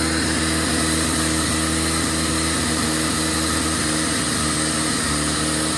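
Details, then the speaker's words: 1997 Jeep Wrangler TJ (2.5), idling after new throttle position sensor fitted (corroded plug): uneven idle dipping and catching every second or two, stumbling and missing; TPS did nothing, owner suspects injectors, IAC to be replaced. "Still stubbling. Okay. Throttle position sensor did nothing."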